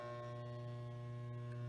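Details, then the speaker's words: Mytek electric fan that hums but blades won't turn: only a steady low electrical hum with a buzzy edge, no blade whoosh; the motor is stalled, and a faulty capacitor was found. "el día de hoy les estaré compartiendo un vídeo de cómo reparar un ventilador que no enciende solo hace ruido espero les guste los dejo con el vídeo"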